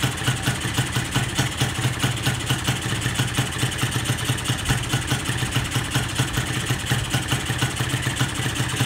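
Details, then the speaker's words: Carbureted engine with the idle/air screw backed out until its threads show: the idle is lumpy and uneven, idle timing is poor, and it nearly dies; it runs rich because the pilot jet is oversized. "Timing dia pun tak berapa nak cun lah. Dengar daripada bunyi pun dah boleh tahu. Ok, dah nak mati dah tu. Ni sebab pilot terlampau besar."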